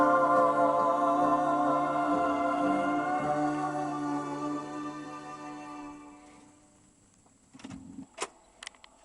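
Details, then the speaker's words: Philips GF447 (Boots-badged) record player, revived from seized: music fades with no slowing pitch thanks to an automatic mute, then soft mechanical clunks as the arm lifts; normal end-of-play changer cycle. "It was seen as an automatic mute in there because you don't hear the record slowing down before it lifts the tone up. Nice touch."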